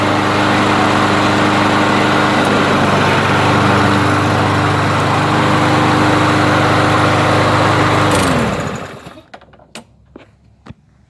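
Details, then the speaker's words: Briggs & Stratton 625 EX mower engine with a plastic auto-choke carb and no primer, cold start after ultrasonic carb cleaning to cure surging. Starts on one pull and holds a steady pitch with no rise and fall, then stops. Normal idle. "yeah so it's running good uh it's not surging anymore well and it's starting up one pull"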